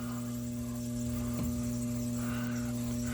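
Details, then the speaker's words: Rheem AC on first floor with 80% furnace in basement, thermostat set to AC; condenser runs but no airflow, steady low electrical hum near 120 Hz; blower fan motor energised but locked up, seized and not turning. "All I did was turn the thermostat to AC and drop it. See this? Our condenser is running. No fan."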